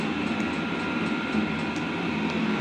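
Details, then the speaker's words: Diesel heater just switched off in its shutdown procedure; steady intake blower rush ramping down with regular fuel pump clicking, about three per second; normal cooldown, which must not be interrupted by unplugging. "Now, you can still hear the fuel pump clicking. You can still hear the intake blower making noise. You can see it's ramping down."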